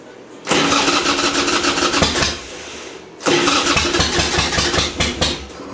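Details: Harley-Davidson Sportster with new battery, fouls plugs heavily; two cranking bursts of about two seconds, steady chugging but never catching; crank no start, flooded.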